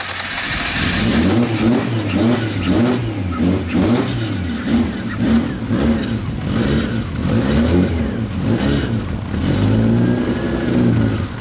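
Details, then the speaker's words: Big-turbo Nissan R33 with straight pipes, first start, heard from up front after fixing sensor readings: repeated revs rising and falling smoothly, no knocks or misses, surprisingly quiet; healthy. "not gonna lie I'm really impressed with how quiet that car is straight pipes"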